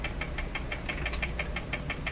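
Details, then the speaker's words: Clairtone console stereo record changer running at a different speed: about six even ticks per second over a low hum as something underneath interferes, possibly a part knocking against the gears, cause unknown. "now you can really hear the uh whatever's interfering under here that's another problem isn't it"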